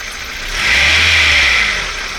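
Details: 1998 Honda CR-V at cold idle in cold weather (worse at -5C or colder), absent when warm: shrill steady belt-area squeal over low idle, swelling briefly mid-clip; owner suspects condenser/AC pump pulley, unconfirmed.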